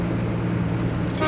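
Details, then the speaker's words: 1953 Chevrolet Bel Air hardtop, engine warm with temperature near half and oil pressure 30 psi; a short, clear, brassy taxi-like toot over a low engine rumble; horn works normally. "horn works. Actually sounds really cool. I want to use these for taxis. It reminds me of a taxi for some reason."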